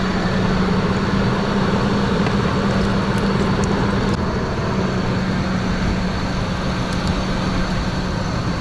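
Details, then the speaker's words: Under-$1,000 SUV after fitting a new pulley and belt: steady drone with an uneven, lumpy beat; still rough, though better than before; worn motor mounts noted, cause not pinned down. Rough running engine. "still doesn't sound great that sounds better than it did"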